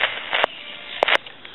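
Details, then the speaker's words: Tele Concepts telephone handset, potentiometer in the microphone feedback circuit touched while listening on the line: sharp sizzling crackles in two bursts over a quiet line; noisy potentiometer, possibly to be replaced with a fixed resistor. "and you can hear that sizzling and cracking from that potentiometer"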